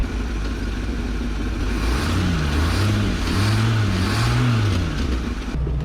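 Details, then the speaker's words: Abandoned 1990 Ford F600 box truck with carburetor and big cam, revived: deep, even idle rising smoothly on throttle blips and dropping back cleanly, no knocks or misfires; motor sounds good. "uh motor sounds good"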